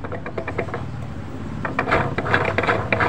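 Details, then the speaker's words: Yamaha Mio 125 automatic, final-drive (gardan) box turned by hand: rough, uneven clicking and grinding bursts, about three a second; worn 6204 bearing, seal changed earlier but not the bearing, now being replaced. "bunyi kasar di box gardannya dari sebelah sini juga kelihatan"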